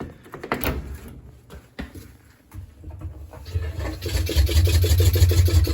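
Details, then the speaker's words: Kenmore 700 series dryer making a loud metallic scrape about three times a second as the drum spins; the belt was also found split. "Kenmore 700 series dryer with a loud scraping noise when spinning."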